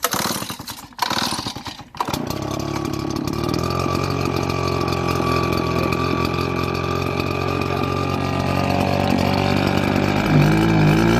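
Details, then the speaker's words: RedMax RBZ8500 backpack leaf blower losing power and bogging: a small two-stroke starts after a couple of pulls and runs with an uneven stumbling misfire, possibly from spark plug buildup (NGK CMR7H). "Lots happens and lowers you running it it's kind of like sounds likes misfire it's on one cylinder so"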